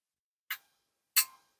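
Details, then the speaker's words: RME DB-22A preselector, antenna changeover relay after repair, just over 11 volts under load: two crisp sharp clicks about two-thirds of a second apart, relay pulls in and drops out firmly with no chatter. Normal relay clicking. "so let's give this a try here now oh that's a good solid click and that's pretty typical"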